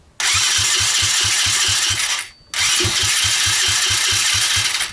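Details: SSR 125cc pit bike bought for $80, fitted with a $13 eBay replacement CDI ignition, cold start: catches quickly with even firing pulses, is shut off with the kill switch, then restarts and runs smoothly; healthy.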